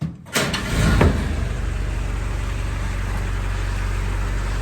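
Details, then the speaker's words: 1942 Ford GPW jeep with a new exhaust and muffler kit, warm start: a brief crank and instant catch, then a smooth, even low putter with no exhaust leak, puffing, miss or ticking. Normal warm start. "I don't hear any uh any exhaust leaks so that's a plus before it was pretty uh pretty atrocious she sounds good and healthy don't hear any miss or anything like that"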